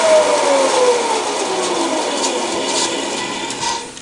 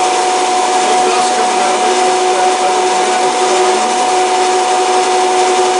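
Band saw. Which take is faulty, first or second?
second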